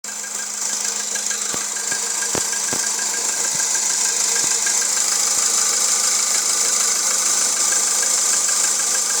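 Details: Volkswagen Jetta 1.6 engine at idle. Sharp ticking knock about twice a second over a hissy, steady idle. Internal engine knock, origin unknown.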